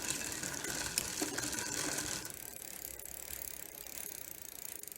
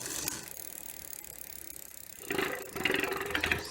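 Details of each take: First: Barracuda dual-suspension trail bike, rusty, on a stand after spraying gears with WD-40: steady fast freewheel ticking under a light hissing scrape as cranks spin; chain rubbing on a sprocket face. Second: Barracuda dual-suspension trail bike on a stand, chain and gears sprayed with WD-40: cranks spin freely with light, even freewheel ticking, no grinding or squeal; chain drivetrain now runs smoothly.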